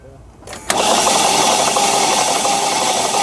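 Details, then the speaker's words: 2012 Chevy Malibu (title says Cruze) towed in with crank-no-start after overheating on the road; starter spins engine fast and evenly with no compression pulses, suggesting low or zero compression. "I can tell based on how this engine sounds that this engine has low compression, maybe zero compression."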